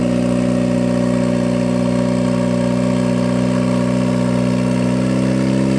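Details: 1991 Mazda Miata NA with eBay turbo build, new exhaust, warmed to operating temperature: steady engine note climbing to about 2,900 rpm and not settling; idle too high, needs tuning, cause unconfirmed.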